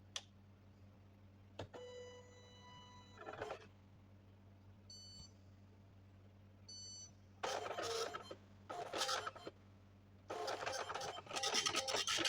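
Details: Epson LX-310 dot-matrix printer test print after repairing a jammed print head (carriage shaft removed and refitted, pin 9 printing again): bursts of raspy head chatter between carriage moves and beeps, no skips or grinding. The printer works normally.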